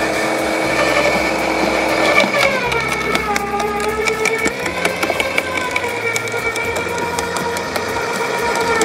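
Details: LawnMaster 2800W quiet electric garden shredder, blade-to-plate gap set: steady whine dipping briefly as thin branches feed in, crisp splintering chops, self-feeding without the plunger; cutting cleanly, normal shredding.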